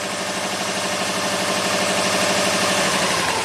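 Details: Subaru with suspected bad aftermarket ignition coils, idling as system voltage rises from 12V to 14.5V via charger: uneven stumbling idle with irregular pulse about three per second under hiss; coils draw less current at 14V and lose spark, misfire, root cause unconfirmed.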